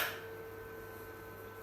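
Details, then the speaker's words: APC UPS being checked for F06 error (relay welding or swapped phase/neutral): mains disconnected, one sharp click then faint steady hum as it transfers immediately to battery, 82 minutes backup, 215 V output; normal switchover. "ನೋಡಿ. ಇಮಿಡಿಯೇಟಾಗಿ ಬ್ಯಾಟ್ರಿಗೆ switching ಆಯಿತು. 82 minutes backup ಬರ್ತಾ ಇದೆ."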